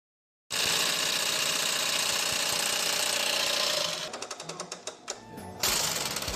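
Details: Singer sewing machine running noisily: loud, harsh clattering chatter breaking into quick ticks near four per second; the cause is not yet clear.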